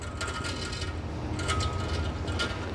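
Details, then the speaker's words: 1999 Toyota Hilux SR5 2.8 pickup: irregular clicking and ratcheting, two or three per second, over a low rumble as the wheel turns; noisy wheel hub, suspected dirt inside or something broken, needs disassembly to confirm. "e o barulho desse lado Nossa olha o barulho da roda"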